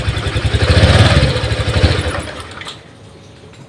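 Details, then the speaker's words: Honda Vario 125 LED scooter idles unevenly, surges and stalls when throttle is opened. MIL code 12 appears when it won't start; the fuel pump hum is weak and intermittent although the pump and injector get 12 V; cause not confirmed. "kalau digas mati depan lagi mati"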